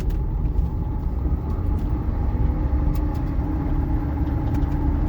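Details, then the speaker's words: Electric-converted MG Midget with newly installed replacement motor and new potentiometer throttle, test drive going forward: low smooth rumble and faint steady motor hum, no grinding, much smoother and quieter; grinding and jumpiness occur only in reverse, suspected reverse-gear transmission issue. "Actually sounds very good going forward. So something with reverse gear is wonky. Oh man, this is smooth! Oh, this is so much better and quieter."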